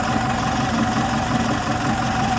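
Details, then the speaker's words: Type 4 VW 2056cc engine with 96mm big bore cylinders, fresh rebuild, idling: smooth, uniform rumble, no rubbing, ticking or misses. Runs really smooth. "It's like, man, this thing's like really, really smooth."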